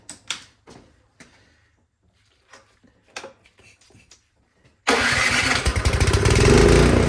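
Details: Craftsman snowblower engine after removing and cleaning the clogged carburetor, previously starting then dying and surging: few handling clatters, fires promptly and settles into steady even run without stumbling. Normal running after repair.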